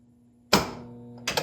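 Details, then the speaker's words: Laser Ball pinball machine powered on with its switch off: one hard clunk at switch-on, then a steady low buzz as the solenoid stays pulled in; stuck on, cause suspected but not confirmed. "I have the switch off on laser ball. So the switch is off. Let's turn it on and see if that solenoid sticks right away."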